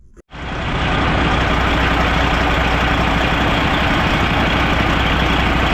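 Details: Old Freightliner semi diesel running with the valve cover off: loud, steady clatter with an uneven beat around four per second under the roar. A cylinder misfires from a broken injector harness wire, after a replaced injector didn't fix it and the Jake brake was ruled out.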